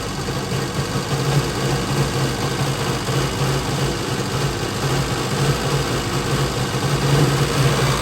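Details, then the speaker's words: Used two-stroke jet ski, first start since the carb was flushed and oil added, reluctant at first. Steady buzzy drone holding an even pitch without sputter or hesitation, with no leaks at the carb. It runs cleanly. "as you can see it pretty much rips there does good no leaks around this that's the main thing I worry about"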